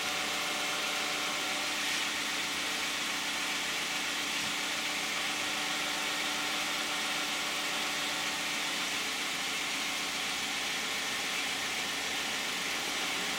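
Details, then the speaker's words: 2010 Toyota Camry 3.5 V6, 93,000 miles, Pennzoil Ultra 5W-30 synthetic with Wix filter, cold start heard from outside with hood closed: very quiet, even idle, mostly soft hiss, no knocks or ticks; normal idle. "I think it sounds pretty quiet."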